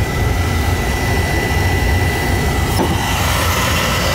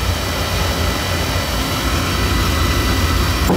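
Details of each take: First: Oil burner that had been sooting and shutting down, refired after cleaning and draft adjustment, about one over the fire; steady even roar without pulsing, puffing or rumble; stable clean flame. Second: Oil burner that runs about five minutes then shuts off and puffs black smoke: constant heavy rumble with irregular pulsing roar instead of a clean even flame, burner choked with soot; to be taken apart, vacuumed and verticals cleaned.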